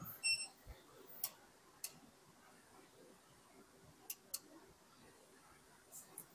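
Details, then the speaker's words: Device powered from a pure-sine-wave power station whose output isn't clean enough for it: sharp, irregular clicks a second or two apart as its input relay keeps switching on and off, screen blinking. "I can hear the relay once again. It's kicking on and off. Hopefully, you can hear it clicking on and off on camera."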